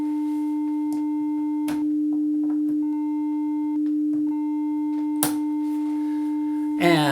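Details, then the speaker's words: 300 Hz test tone on a hardwire Y-split, a console switched off on the other leg, driven back up to a higher level (about 1.7 V peak-to-peak; clean near 1 V): tone turns buzzy and rough in stretches; distortion clears when the console is turned on. "we hear the distortion, and if I turn it on, back to good again."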